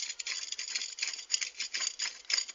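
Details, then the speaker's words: Wellgo V8 mountain bike pedal spun by hand before service; dry, gritty, crunchy rattle pulsing each turn; unsealed bearings with a gap let sand and water in, bearing contaminated. "They are not sealed bearings. Over there you see there's a little gap, as you can hear from this one, maybe in the video."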